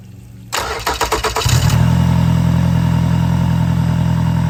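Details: Yamaha F90/F100/F115 outboard after timing belt replacement, run on grass with flushing muffs: brief cranking, then it catches and settles into a smooth, even low idle; normal start, neighbor's mower faintly in background.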